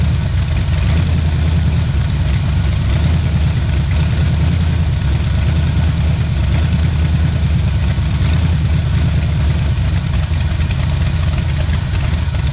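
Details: 1977 Pontiac Firebird V8 ex-drag car, abandoned about 36 years, first run after revival on a cold start, left idling to open the thermostat: deep, choppy idle with a steady lope about once a second, typical of an aggressive cam; it runs healthy.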